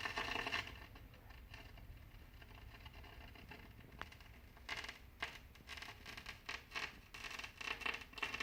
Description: Kenwood GE-52B has static and crackling that comes and goes. The RCA cables are good and wiggling connections doesn't seem to make it better or worse. It fades in and out without me touching a thing.